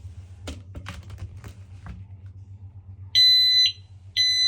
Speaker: So on the staircase, this is where the first smoke alarm is located. If it's working, you can hear it's working.